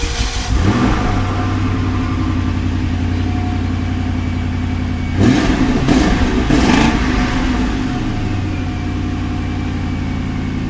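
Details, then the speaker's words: 2003 Lincoln Town Car, sat 7+ years, microphone at rear: V8 catches quickly and settles to steady even idle with a couple of throttle blips, no misses or knocks; finally running. "We officially have a running stinking Lincoln."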